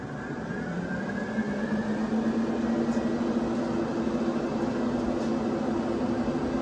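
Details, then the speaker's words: 1987 Pontiac Firebird after fuel pump work, key on: fan tone rises as fans spin up, then a steady even whir, no rattle or grinding; fans seem quite a bit faster, moving a lot of air; normal operation. "Oh yeah. I feel like they're spinning a little faster. Like quite a bit faster actually. Moving a lot of air."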